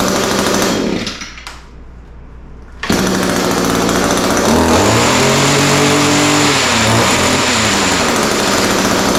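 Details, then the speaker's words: Echo SRM-210 two-stroke trimmer after new carburetor kit, primer bulb, fuel lines and air filter plus small carburetor adjustment: briefly dips then returns to steady high buzz, running clean and even; fixed. "all right so that sounds pretty good uh started fairly easily needed just a little bit of carburetor adjustment um but starts easy now runs good"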